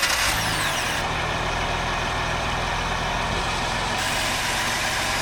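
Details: Boat with Mercruiser 4.3 V6, after fixing the bad starter and rebuilding the carburetor for a no-start issue: steady even run, constant low drone, no knocks or misses; sounds healthy.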